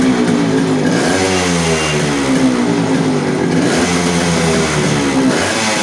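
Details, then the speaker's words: Yamaha RX100 two-stroke after clutch bell upgrade and carburetor re-adjustment; crisp buzz revs up and falls back cleanly to a steady idle: normal running. "तो भाइयों मैंने carburettor की setting कर दी है, और अब start करके देखते हैं।"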